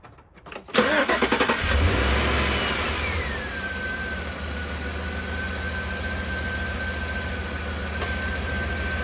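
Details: 2011 Tahoe after alternator and belt replacement (surging power and low volts under load with A/C), battery reconnected: quick crank, instant catch, brief rev then smooth steady idle with faint even whine; starts and runs healthy.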